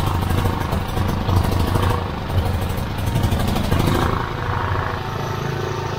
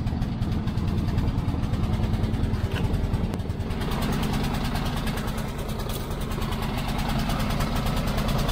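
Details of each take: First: Petrol generator that ran rough and died, tested with air filter removed: even, steady putter at constant speed, no surging or stumbling; cause was the paper air filter clogged, probably by oil blow-by from the valve cover breather. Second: Petrol generator used to charge solar house batteries, recently running rough and dying: low drone that hunts and sags unevenly; owner suspects fuel starvation from carburetor or a blockage, not confirmed.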